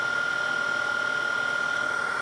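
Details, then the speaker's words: Denso 120A alternator, off a Grand Cherokee, on a bench rig charging at about 14 V, bearings checked by listening through a screwdriver: a smooth, steady spin with no grinding or rumble and no play felt by hand, bearings healthy. "14 waters above rise and everything sounds good no nasty noises coming off the alternator which is the most common for that the bearings are four"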